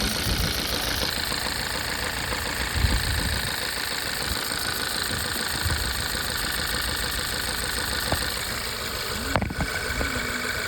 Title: Misfire cylinder 3. Swapped ignition coils still. Replaced spark plugs. Still misfire.